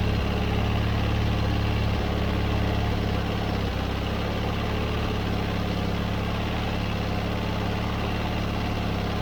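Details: John Deere 317 riding mower twin after cleaning plugged carburetor that caused won't-start/won't-stay-running: low, steady idle thrum holding its pace without stalling or surging; running normally.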